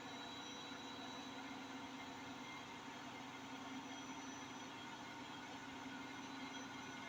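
A constant heavy roar with a rough rumble under it at high spin, like a distant train, which suggests worn drum bearings. Cause suspected, not confirmed.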